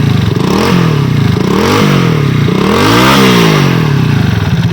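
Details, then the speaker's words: Honda CD 70 motorcycle after engine noise repair and refitting: small single revs rising and falling smoothly with throttle, no rattle or clatter; engine now quiet. "Engine इसका बिल्कुल खामोश हो गया"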